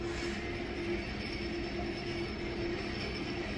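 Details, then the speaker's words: Low-rise Kone elevator, riding in cab: steady travel rumble with a short high squeak repeating roughly every half second, heard on every floor; suspected squeaky counterweight wheel, not confirmed. "This is gonna be a fun game. How much will it squeak? Let's just see what happens."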